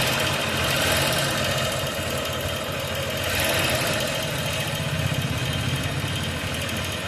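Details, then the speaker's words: Motorcycle engine at idle: fast, light ticking about four a second over a steady idle, tappet noise from excessive valve clearance; tappets to be adjusted with a feeler gauge. "இப்ப இந்த வண்டில பாருங்க டேபிட் noise வருது இது டேபிட் noise இல்லைன்னா அந்த ரேகாரம்"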